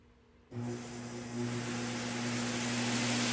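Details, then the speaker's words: Prototype 2x72 belt grinder vibration test at full power, nickel balanced on edge doesn't move; silence then spin-up to a steady smooth whir with even hum, no knocking or shaking, normal running. "Full power. Nickel hasn't moved. Just in case you think I've glued the nickel, here you go."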